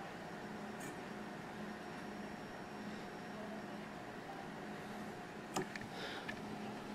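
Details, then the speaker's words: Peltier-cooled wine fridge after cleaning/makeshift repair, heatsink cooling fans running with front display board unplugged: faint, steady low fan hum with light tonal drone; fans normal, cooling top and bottom. "Yeah, it's running. Definitely getting cold, top and bottom."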